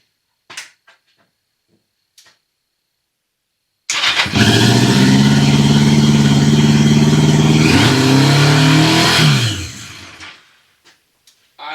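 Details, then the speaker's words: 1982 Yamaha XJ650 Seca, sat since 2021, after battery, cleaned spark plugs and carb work: catches and holds a fast steady idle for seconds, then slowly sags; idle set too high, throttle sticking; high idle from sticking throttle. "is set a little too high. throttle sticking for some reason there."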